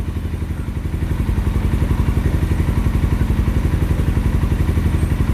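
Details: Carbureted 2007 Suzuki GS500F twin, long stored, just cold-started and warming up on choke, fuel tap on reserve because the tank is low: even, steady low thumping at about four beats a second, a smooth healthy cold idle.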